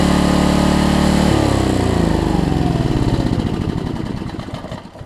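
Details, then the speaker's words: Homelite LR4400 generator after carburetor and kill switch replacement and governor readjustment: engine holds an even, steady note briefly, then winds down smoothly to a stop with no surging or hunting; running normally. "Oh, guys, I just hate when the governor gets messed up on these things, but I think I got it now."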